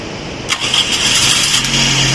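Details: Toyota that would not start on the road, after tappet clearances were reset (owner cites tight tappets): short crank, fires quickly and settles into a steady, even idle; starts and runs normally.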